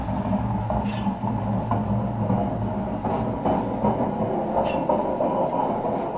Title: grinding noise from a washing machine drum coz of extremely worn out bearings